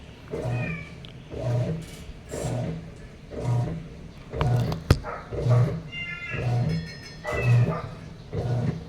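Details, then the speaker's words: Sharp automatic top-load washing machine, reported as not draining or filling, tested before repair: regular agitator strokes about once a second with no fill sound while the timer counts down; technician points to the control board. "so hindi siya nagkakarga ng water ikot lang siya ng ikot ng ganyan nababawasan yung oras niya"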